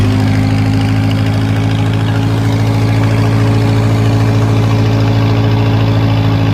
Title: 1950s Lincoln first start in unknown amount of years. Rebuild the carburetor and she fires right up!